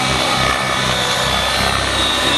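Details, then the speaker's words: Nitro RC helicopter engine after the mixture was richened for hard flying with tick-tocks: a loud, steady high-pitched buzz holds an even speed with no sag or misfire and no loss of power. Normal running. "Didn't seem like it was losing power, you know, getting weak."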